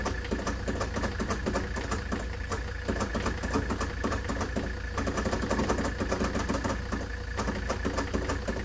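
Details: 1970s Layton roller compactor, Ford Taunus 60-degree V4, fuel pump switched on: ragged, uneven popping and clatter with no steady firing rhythm; engine turns but won't catch.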